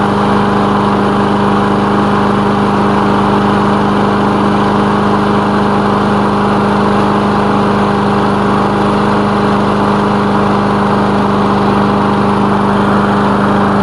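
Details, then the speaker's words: Lawn mower engine after repair, oil recently changed, initial test run with the elevator off; steady even drone, constant pitch, no knocks or misses; running fine, normal. "as you can see it's running fine let's give it a minute"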